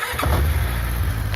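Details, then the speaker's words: 1994 Yamaha 600 Diversion with a new battery. The starter turns briefly, then the engine catches at once and settles into a smooth, even idle; a clean, normal start. "Après, ça démarre nickel."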